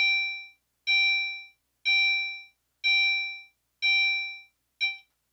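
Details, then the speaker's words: Fire alarm panel system test with the drill button set to continuous chime: a clean bell-like ding about once a second, each strike fading before the next, so the continuous chime signal works properly. "okay so as you can hear it does ding once per second there so nothing terribly exciting but it is still pleasant compared to the other tones here"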